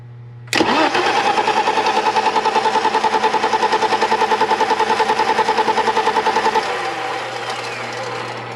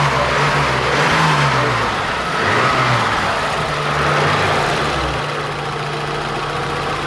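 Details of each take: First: 1987 BMW 325i E30, sat outside after paint job, ran then stopped; starter cranks engine evenly about six seconds with no firing, pump heard but gauge on feed line shows exactly zero fuel pressure; crank no start. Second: 1987 BMW 325i E30 after a crank-no-start repair, fuel pressure almost 40 psi: a couple of gentle revs settle into a smooth, even idle with no knocks or stumbles; normal idle.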